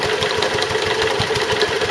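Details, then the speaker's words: Stuart Turner water pump after replacing the failed big end bearing; quick regular knocks, several per second, over a steady mid-pitched note, much quieter than before, but a remaining knock of unknown source; owner wonders if it is a valve. "The pump's going okay, but it's got another knock from somewhere, substantially reduced the amount of noise it was making, so the big end had obviously gone, but I can't work out what the other noise is. I wonder if it could be one of the valves making a noise."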